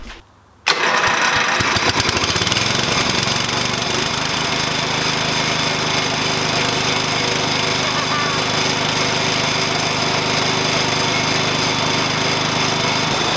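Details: 1988 Dixon ZTR 311 mower with a Briggs & Stratton 11HP engine, after full restoration and carburetor needle adjustment (seated, then opened 1.5 turns): catches within a second and settles into a fast, even run with no misses or surging. Normal running.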